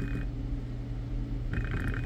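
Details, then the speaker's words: BMW E60 electric coolant water pump bench-tested on 12 V: low hum with short buzzy creaking bursts as the motor tries but fails to start; wiring and signal fine, pump motor faulty. "so what I notice is this something's wrong with the motor because it won't start it'll it'll tempt"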